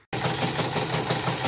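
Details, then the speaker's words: Portable CNY embroidery machine after cleaning and polishing: fast, gritty running with a coarse rattle about three times a second, rough even with a new shoe; worn, sloppy rotary hook. "nanti saya cek lagi suaranya kasar. Ini saya pinjam sepatu yang baru, masih kasar juga. Memang sepatunya memang udah oblak"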